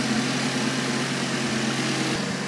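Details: Audi RS3 with a fully forged five-cylinder, on its first start after being parked up, with a new battery: a steady, even idle with a firm low hum and no stumble or misses. Warning lights are on, but the engine runs clean.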